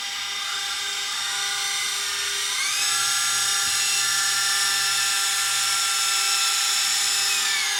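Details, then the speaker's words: Sony DSR-11 DVCAM deck opened for inspection: thin piercing screech rising in pitch then holding; owner thinks it sounds like a motor bearing, possibly the capstan motor, not yet confirmed. "I mean it sounds like a bearing on a motor that's what it sounds like"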